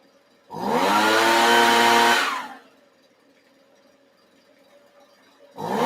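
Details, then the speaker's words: Small two-stroke engine running in the shop: short crisp rev climbing then dropping cleanly back to a quiet idle; it runs beautifully, and idle adjustment was found. "But as you can hear, it's running beautifully. Really, really, really happy with that."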